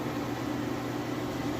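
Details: Whirlpool Cabrio high-efficiency washer at high-speed final spin with a very heavy load of jeans and towels; steady even hum with a constant low tone, no shaking, rumble, grinding or thumping, no bearing noise. Normal spin.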